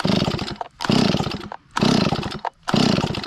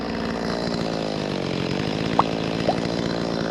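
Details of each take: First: Stihl 025 chainsaw, hot after running, plenty of fuel and spark confirmed: repeated pull-cord cranks about one a second, engine turns over but never fires; carburetor flooding the engine causes hot no-start, also smoking from muffler; carburetor later replaced. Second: Stihl 025 chainsaw that previously wouldn't restart hot because a stiffened carburetor diaphragm flooded it, restarted hot after the carburetor fix: fires straight up, holds a smooth idle, then revs cleanly up and down without bogging. Normal hot restart.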